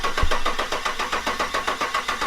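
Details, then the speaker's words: Toyota FJ55 Land Cruiser: steady starter cranking at about five compression beats a second, but the engine never catches. This crank-no-start is suspected to be caused by a ground wire left unconnected. "Yeah, we know it runs. So, I just got to figure out there's probably just a ground issue."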